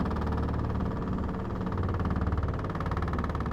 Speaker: Yes, that washer is annoying, huh? It's vibrating the whole porch.